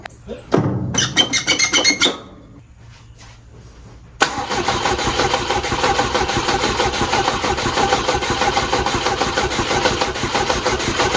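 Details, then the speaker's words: 1967 Volvo 122S Amazon, the exhaust still on before its replacement: it cranks, catches and runs with a raspy, ticking puff over the idle from a hole at the header flange that could not be sealed. "This thing has made a lot of noise from the hole on the flange here. I've not been able to get it sealed up."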